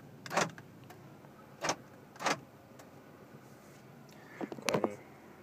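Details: 2006 Subaru Forester during inspection, right-side power door locks cycling; several quick crisp clean even clunks; normal power door lock operation.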